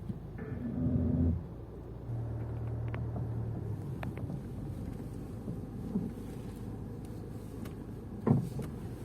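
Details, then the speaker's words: Range Rover Evoque driven over a speed bump with front suspension knock complaint: road rumble broken by dull thuds from the front left, car swaying side to side, left wheel has heavy play. "какие-то ужасные страшные звуки вообще ужас где-то слева сейчас проедем по лежащему полицейскому машину всю болтает по сторонам"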